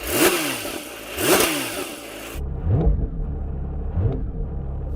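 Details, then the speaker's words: Porsche 911 S/T with a single-mass light flywheel, small light clutch and sports exhaust on, first start: two sharp revs, then a loose rattling chatter over a lumpy idle as the clutch is released; normal single-mass flywheel chatter. "Sports exhaust on obviously or you can hear the chatter when I release the clutch that's that single Mass"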